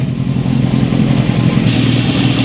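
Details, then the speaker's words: 1972 Honda CB750 Four warming up while carbs/idle are adjusted cylinder by cylinder: smooth, even four-cylinder idle with steady low burble, no hunting or misfire; number three slightly high but in range, sounding better. "Number three is a little high, but it is in range. Boy, it's sounding better, isn't it?"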